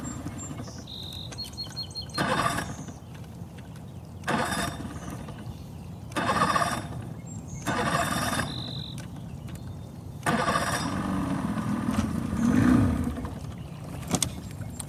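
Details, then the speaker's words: Boat engine fires on repeated pulls, runs a second or two and dies each time, only keeps running with choke pushed in; owner suspects it isn't pulling fuel from the tank well enough. "It's running whenever I push the choke in. Maybe it'll stay running now. It's like it's not pulling fuel from the tank well enough."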